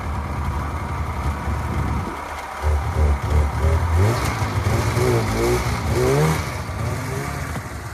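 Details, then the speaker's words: Polaris 500 Widetrack snowmobile, first start after sitting about six months, with a booster on the dead battery and a little fuel added: catches after a couple of seconds, blips quickly, then settles. Starts readily and runs cleanly. "after starting right up the Polaris 500 wide track ran like a [Music] dream"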